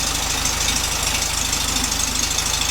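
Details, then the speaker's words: 1967 VW Beetle air-cooled flat-four with rebuilt distributor and correct spark plugs, carburetor awaiting rebuild, warming up after about a minute of running; even low thumping idle under background hiss, no misses, normal idle. "we let that warm up a little bit should be running fine I'm kit it's been running for about a minute it seems to be picking them up and putting them down really nice"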